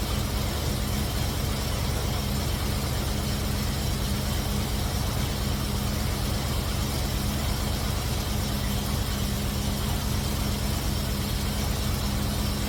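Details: Cutlass V8 after fitting MSD 8225 HEI coil, MSD 83647 module, Moroso Ultra 40 wires and ACDelco R44LTS plugs to cure long-running misfire: smooth, even low idle burble, no stumble or missing beats, with timing set close, carburetor circuit adjusted, vacuum mid-range.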